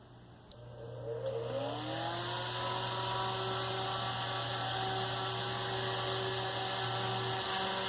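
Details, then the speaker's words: Serviced 1960s Eskimo desk fan model 081005, 50+ years old, with thumbwheel switch: rising hum settling to steady even whir with slight buzz; somewhat noisy, minimal vibration, healthy. "Blows a fair amount of air. I like it. A little on the noisy side. Minimal vibration. But it's a pretty good little fan."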